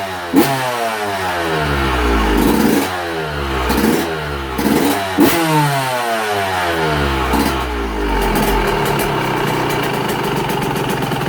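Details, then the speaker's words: Yamaha YZ125 two-stroke, 25 over, jetted with good tune and head; crisp revs climb and drop cleanly then settle to a steady crackly idle set barely idling; healthy two-stroke idle. "if she'll idle for for a second here you go motor sounds good and tight"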